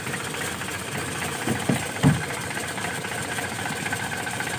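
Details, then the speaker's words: Car fitted with a replacement TCI pulser ignition module, cold engine; it starts immediately into a steady, even idle with light mechanical patter and no misses or stumbles. "Oke, kondisi mesin dingin. Ini kondisi mesin dingin langsung nyala ceker."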